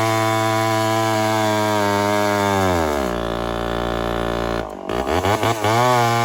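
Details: Homelite 1050 100cc chainsaw on 404 chain, first test cutting wood: revs high, then sags hard into the cut with stuttering dips and recoveries, bogging under load; owner suspects an air leak.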